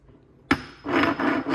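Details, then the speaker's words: Muncie 4-speed manual transmission from a 1971 Corvette C3 being reassembled: sharp knock then dry scraping groan as the mainshaft turns, because the unsupported reverse gear lies in the case and drags on the housing. "This reverse gear is just laying in the housing. So, it's it's dragging on there. That's why I got to hold it up."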